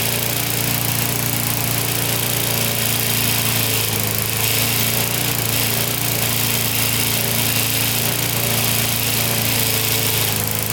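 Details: Older Briggs & Stratton 3.5–4.5 hp mower engine with carb on metal tank, after carburetor diaphragm replacement and cleaning: fast, even buzz with steady pitch and no surging or stumbling. Running properly.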